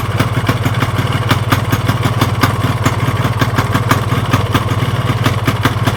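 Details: Yamaha RX-King two-stroke at idle: a sharp, steady metallic "klotok" clatter over a low, rough hum with vibration, caused by a worn, loose crankshaft with play, plus worn con rod and piston.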